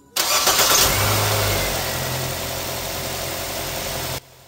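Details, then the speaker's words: Nissan Almera with a hard-start fault, after replacing the spark plugs under the intake manifold: a brief crank, then it catches at once and settles into a steady, even idle. "Ayan mga bossing, one click. Ang sira lang nito mga bossing ay spark plug lang"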